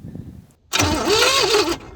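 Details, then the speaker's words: 1970s Pontiac Phoenix revived after sitting 20+ years: about a second of cranking with no firing. The distributor rotor button has snapped off the cap, so a new cap is needed. "so we just have a a broken rotor button so see that right there that just fell off as soon as I touched it so we need a new cap"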